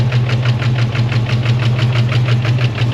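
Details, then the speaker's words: SVT Cobra V8, first run after sitting: lumpy, uneven idle with a loud ticking valvetrain pulsing about three times a second, diesel-like; rough running, suspected dead miss or big cam. "Just sounds like it's got a It's either got a dead miss or I mean, and the valve train is loud as [ __ ] Sounds like a goddamn diesel."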